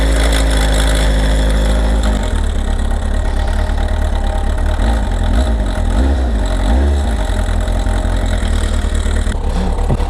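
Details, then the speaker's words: Kawasaki ZR7S, stock, cold-started on choke after weeks unused: revs blip then drop to a lumpy idle with a tinny clatter from mid-cylinder that grows as revs fall and fades at higher revs; owner suspects the cam chain or tensioner. "やっぱね、エンジンのシリンダーの真ん中あたりから音がする感じはするんですね。"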